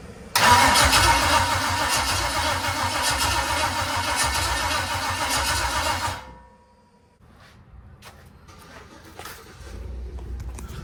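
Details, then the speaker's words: NBS single-cab truck build with Holley ECU, first test fire: starter turns slowly, about 100 rpm, roughly four beats a second for six seconds, no catch; owner suspects low battery, plans lowering Holley start RPM. "All right, chat, I'm not sure exactly what I'm doing wrong, but so it's only cranking like 100 RPM. I think the battery's low, so I'm gonna lower the start RPM on the Holly."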